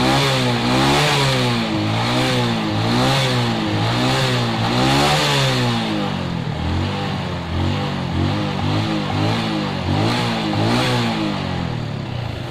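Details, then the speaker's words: Suzuki Shogun 125 after fitting a new CDI: starts normally on electric and kick start, pulls cleanly through repeated blips and settles back, steady firing, no misses. "kalau starter starter normal nyala Coba kita engkol di engkol juga normal"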